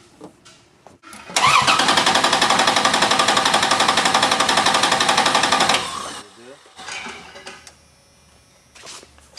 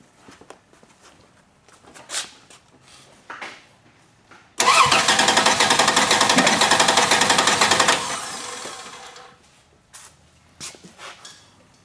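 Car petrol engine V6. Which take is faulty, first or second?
second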